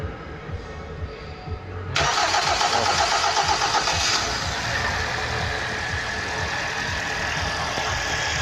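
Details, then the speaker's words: First start after a full engine overhaul: a brief crank, then it fires first time and the oil pressure light goes out. It settles into a steady, even idle with no knocks or misses, a normal first start. "Вот он, двигатель запустился с первого раза. Давление потухло. Мотор работает."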